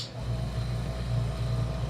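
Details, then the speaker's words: Chicago Electric dual-drum rock tumbler after replacing worn plastic bushings with bearings: steady low hum, no rubbing or scraping, drums turning smoothly. Running normally. "everything's roll nice and smooth again"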